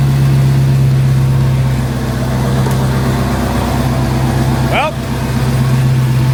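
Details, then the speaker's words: Dodge Hellcat V8, after teardown for a rough idle with no codes, started on a jump box: deep, steady idle with an even beat, no stumbling or shaking; engine running fine now. "she's not shaking so I think we're good"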